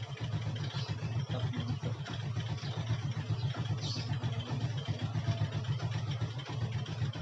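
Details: Yamaha Jupiter MX that would not stay running, after carburetor check for water: even, steady single-cylinder putter with no misses, stumbles or dying; now idles and runs cleanly.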